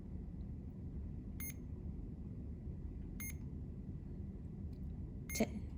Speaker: We're first gonna turn on the pump by holding the on-off button for 3 to 5 seconds. You'll hear 3 beeps.